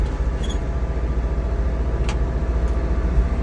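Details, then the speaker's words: 1963 International Loadstar truck, freshly started. Deep, steady low V8 rumble with an even pulse at idle, no ticking or knocking; smooth running, no lifter tick. "So, from the videos, I've heard people having like lifter ticks and whatnot. Not this one. Very nice, smooth running truck."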